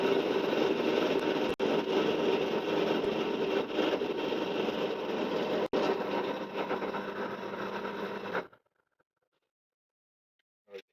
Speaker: so I'm going to drill this it's not as noisy as the threat sort so you'll hear that when I